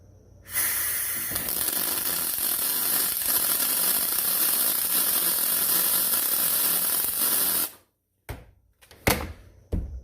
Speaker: you hear that kind of sounds like sizzling bacon right that's what i want